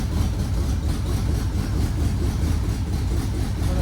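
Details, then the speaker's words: Red truck started for the first time by jumping the starter and fuel pump relay because of wiring issues, no oil pressure showing on the gauge: deep, steady low rumble with no knocks, ticks or misses, a healthy, even idle. "not entirely surprising it sounds good though"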